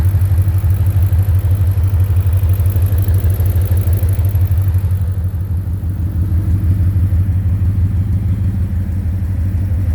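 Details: 2010 Ford Mustang GT V8 at idle: steady low thumping knock about three a second, louder near oil pan and torque converter/transmission; suspected rod knock, lifter tick or loose torque converter, cause unknown.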